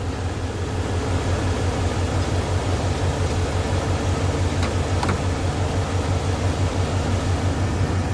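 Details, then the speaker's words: 1981 Ford Mustang, 200 inline-six, carburetor, cold start: screw on back of carb left unadjusted, idle about 1,800 RPM. Even raised idle with deep steady rumble, no stumbling or hunting; normal cold fast idle. "It's about 1,800 RPM, which works. But there is a screw on the back that I was going to adjust, but I don't need to."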